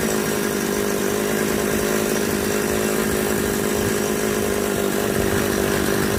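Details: Model 3800 chainsaw that would not start, customer suspected of routing the fuel line wrongly, after reassembly: steady high buzzing run without stumbling or surging, engine sounding even and healthy; normal running.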